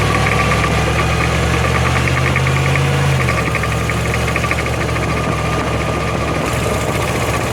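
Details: 2005 Jeep Grand Cherokee WK 5.7, 136k miles, accelerating uphill, stereo mics right toward axle, left toward driveshaft: steady low drone with uneven knocking about four per second; suspected differential noise, unconfirmed.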